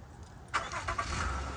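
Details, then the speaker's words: Honda Accord started via Compustar remote starter (press and hold): short crank catches quickly and settles into quiet even idle with no stumble or knock; clean start. "As you see, it started. So that's how you start it."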